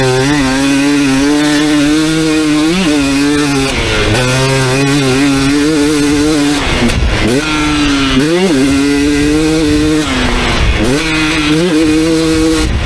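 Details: 2019 KTM 250SX two-stroke, Lectron Billetron 38 Pro carb, on track after torque jet opened half a turn: clean revs with no ping under load, slightly blubbery in places; running a touch rich, owner turns it back in a quarter turn.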